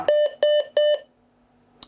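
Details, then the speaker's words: Early DOS PC with a PicoMEM ISA card booting while checking RAM: three quick mid-pitched beeps from the PC speaker complaining that no CMOS battery is installed. "so I haven't got any batteries in here so it's going to complain about that you'll hear some beeps checking the Ram at the moment"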